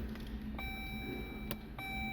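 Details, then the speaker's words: 2013 Dodge Journey with ignition on after blend door actuator replacement: only dash chimes and a low hum, the earlier tapping behind the dash is gone; actuator now quiet. "right there that's on so now you can you cannot hear the sound anymore"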